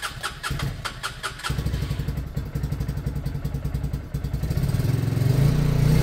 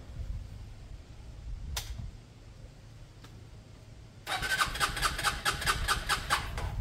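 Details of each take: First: Lexmoto Michigan 125cc single-cylinder motorcycle after an ignition fix, with a carb that is not new or clean: catches after a few turns, then an even, steady beat that builds cleanly with throttle. Smooth, normal running. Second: Lexmoto Michigan 125cc motorcycle after an ignition fix, with the fuel tap left off: quiet clicks, then a few seconds of rhythmic starter cranking with no firing. It won't start until the fuel is turned on.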